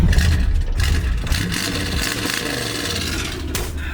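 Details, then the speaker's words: 1963 Buick LeSabre 4-door, V8 with straight pipes, driving on the road: a deep, loud open-exhaust burble pulling steadily under load with no knocks or rattles, normal acceleration. "You know, some people hate straight pipes. I love straight pipes. They sound so good on this."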